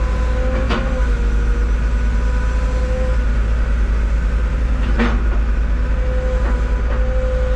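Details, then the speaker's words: Used excavator at auction, possibly a Cat 313 GC forestry package, about 500 hours, 45°F ambient: heavy diesel drone with an uneven, not-smooth hydraulic pump whine dropping in and out; cause unclear. "sounds like yeah it does huh yeah it does it does sound got an awful not quite smooth with it could be cold but it ain't that cold you know what I mean"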